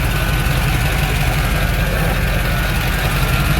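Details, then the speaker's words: 1987 Chevrolet K5 Blazer 4x4, 305 V8 TBI, manual, stalls when warm at stops and low-speed turns: steady heavy idle with a faint extra hum, unidentified abnormal noise; fuel issue suspected despite new fuel lines, filter and tank. "What is that? That's That's not good. I'm not sure what that is."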